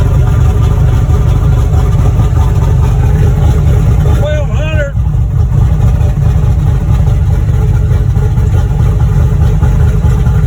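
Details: Boosted V8 black truck, freshly rebuilt after a head gasket blew at 11 psi boost. Deep, steady idle with an even lope and no knocks or ticks, apart from a brief chirp; the engine sounds healthy.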